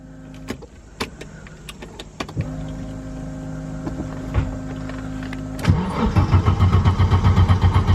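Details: 1991 Audi 90 Quattro with big-turbo S2 engine, push-button start: clicks and a whirring motor, then steady cranking at about four beats a second that never catches. Key position suspected of leaving no fuel pump power; not confirmed.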